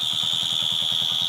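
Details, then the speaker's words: Motorcycle, kick-started after fixing dead battery and missing fuse box; steady shrill high buzz over a fast, even single-cylinder idle comes from the failed flasher relay, which is to be replaced with a new one. "So friends, కిర్రన్ sound flasher చేస్తుంది."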